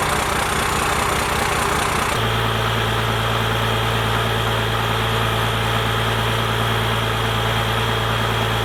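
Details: First-gen Cummins diesel, 4-inch straight pipe, timing advanced, settling smoothly after the throttle/idle speed was raised: loud, low, steady idle with an even lope; sounds healthy.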